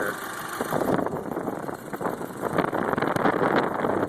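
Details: 2008 Volkswagen Passat 2.0T FSI at idle, engine bay: light, fast, even ticking over a steady idle from the normal direct-injection injector and pump; the noise is acceptable and no cause for alarm.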